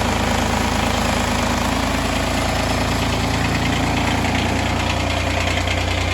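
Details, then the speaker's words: Kubota diesel tractor on a very cold day, started after about 5 seconds of glow plugs with the throttle untouched; steady diesel clatter at a low, even idle with a deep rumble, normal cold idle before the idle is raised a couple hundred RPM. "so I just fired it up, and I let it idle like that for a minute or two, and then I will bump the idle up a couple hundred RPMs higher than that."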